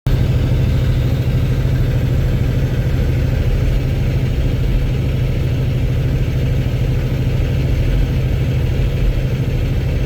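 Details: Cummins X15 diesel at idle: loud harsh knocking clatter riding on a deep steady rumble; owner suspects rod knock or low oil, not confirmed. Loud knocking at idle.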